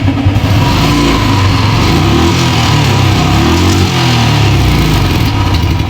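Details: Royal Enfield single after repair of a tik-tik engine noise: strong, clean revs rising and falling smoothly with no ticking over the exhaust; sounds healthy.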